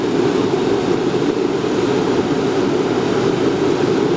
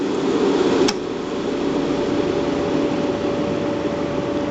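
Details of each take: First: Riello RS38 forced-air gas burner, medium power, during its start sequence: steady, even fan roar at one pitch with no flame yet; normal pre-purge before ignition. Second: Riello RS38 forced-air gas burner, gas pressure set to minimum to test flame-failure detection: steady harsh crackling hiss of the igniter arc over the fan, no flame catches, burner detects no flame and locks out.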